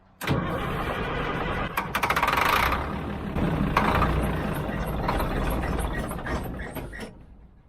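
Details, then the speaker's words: Old Army 6x6 deuce-and-a-half diesel truck, sitting a long while: starter cranks steadily at about four turns a second but it never fires; no fuel is reaching the chambers, cranks but no start. "it ain't getting no fuel let's do some more homework"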